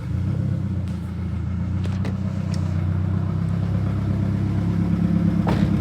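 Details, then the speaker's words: Turbo Honda Accord F23 after replacing a bad coil pack that had caused misfiring at idle and breaking up into VTEC: even, steady low hum with no stumble; normal idle. "And just like that, it's fixed."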